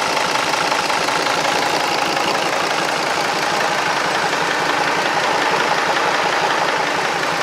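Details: Restored marinised Gardner 5LW diesel on test with a temporary starter: steady, even clatter at a settled idle with no misses or uneven beats; healthy normal idle.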